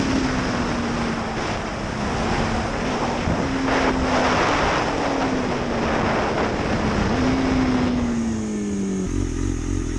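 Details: 2005 Suzuki GSXR 750 riding through the gears after transmission repair with worn gears replaced; steady engine note climbing and easing with throttle under heavy wind rush, no slipping or clatter. Sixth gear no longer slips; normal running.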